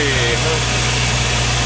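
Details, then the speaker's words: LS-swapped Chevy C10 V8 idling with a steady, even low rumble and no knocks, misses or pump whine; fuel pressure is about 50 psi and the pump, which was gurgling before, is now quiet. Normal idle. "50 psi. Hell yeah. Man, that sounds good."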